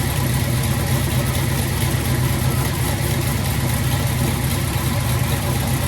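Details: 1986 Chevy Caprice V8, first start after 2 years sitting, rebuilt 400 turbo transmission with trans brake, new Accel plug wires: deep steady idle, even rumble, no knocks, misses or whine; running properly.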